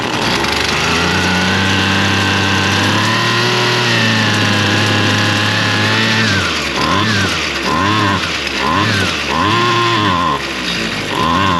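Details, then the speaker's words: Husqvarna straight-shaft string trimmer, two-stroke, started on half choke after purging and two pulls; revs climb then hunt up and down about every second, near dying, won't stay running; carburetor adjustment planned, cause unconfirmed. Engine surging and stalling. "I think we're going to try to just uh hit the adjustment on that carburetor. But it did fire up and it's definitely not staying running."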